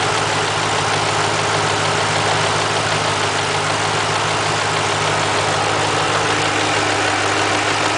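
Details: 2005 Mustang GT V8: steady idle with a light irregular clunk in the background, the cam phaser's normal noise and nothing wrong.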